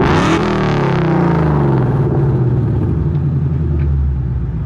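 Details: Ford Mustang with Coyote V8 after new exhaust and Y-pipe install fixing a months-long rattle (traced to a fender bolt): deep smooth rumble climbing as revs build, mild hum, no rattles or buzzing; healthy exhaust note.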